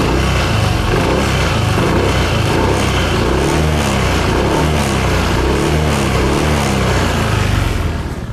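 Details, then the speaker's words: Honda Click 160 scooter revved on the stand: the engine rises and falls with an even CVT belt whir and no rattle. This is normal CVT noise, while the owner has been hearing a separate rattle for days. "Yung ingay na to, normal lang naman sa CVT ng Click 160 na ganyan talaga maingay."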